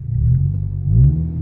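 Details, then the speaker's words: VW Golf 6 GTI, warm after a drive with full-load runs, following a timing check, oil pump replacement and cam phaser control fix: smooth, steady idle with no rpm jumps, zero fault codes; normal. "Donc là, je suis revenu de ma petite vadrouille, donc tu vois, le régime moteur, il est magnifique."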